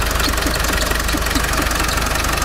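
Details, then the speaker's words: Land Rover Defender 300Tdi diesel at idle on first run, engine compartment: rhythmic squeak-chirp about four times a second; traced to the alternator, whose roller bearing appears loose. "Okay, so I think it's in the alternator. So basically I'm not sure why, but the roller bearing is actually lo"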